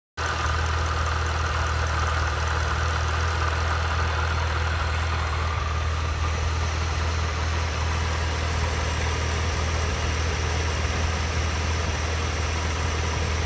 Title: Edelbrock Vacuum Leak